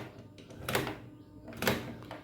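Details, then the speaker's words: Sewing machine running with two heavy knocks about a second apart over a quiet whirr; a loose nut had already been tightened but the knocking remains. "Machine अजून सुद्धा आवाज करते खटखट असा आवाज येतो"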